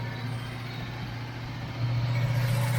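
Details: 1982 El Camino started after sitting: steady low hum that grows louder partway through; accessory whine, possibly the power steering pump, cause unconfirmed.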